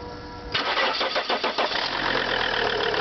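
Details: Lancia Thesis 2.4 JTD diesel, cold start: cranks and catches at half a second, then rattles with uneven clattering pulses before settling into steadier idle; engine noise at cold start, cause unknown.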